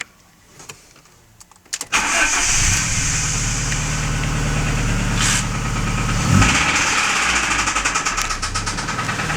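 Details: Alfa Romeo 156 engine knock: loud ringing began at 120 km/h in 5th gear on the highway; recorded after towing, restarted in garage, catches and idles with steady quick metallic knock, actually louder than recorded; owner doubts it's the cam phaser.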